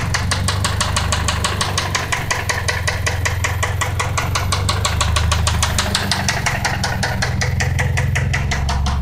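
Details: Toyota Celica petrol engine idling with a quick, steady metallic knock over a low rumble; the owner suspects rod knock.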